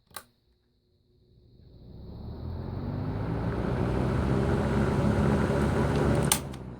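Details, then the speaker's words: 1980s Galaxy 2153A 12-inch box fan, oiled, started on high: a click, then a soft hum swells over about five seconds into a steady whirr; faint startup sound, spins up smoothly and healthy. "you can't hear a faint startup sound just a little bit"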